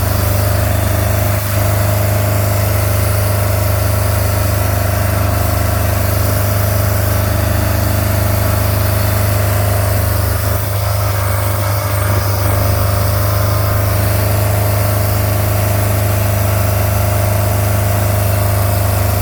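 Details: Idling MerCruiser 3.0 marine petrol engine with a deep steady drone and an uneven puffing beat from an exhaust leak; the engine block is also frozen and cracked from improper winterizing.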